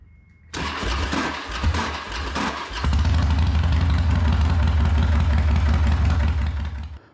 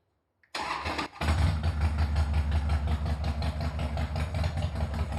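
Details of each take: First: 2013 Harley-Davidson Dyna Super Glide, 24,000 km, new spark plugs, before repair: rough crackling cranking for about two seconds before the V-twin catches and idles; owner suspects the starter clutch is slipping rather than the compensator. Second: Harley-Davidson after All Balls starter clutch replacement: starter catches and the V-twin fires straight into an even loping idle with clean regular beats; cracking noise at startup gone.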